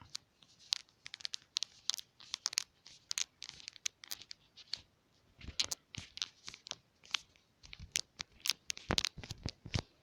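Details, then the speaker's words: BLU Life One X phone squeezed by hand: dry crackling creaks and ticks in bursts from the back cover flexing. A known squeaky back cover issue. "so one issue that this phone has is the back cover gets really squeaky squeaky"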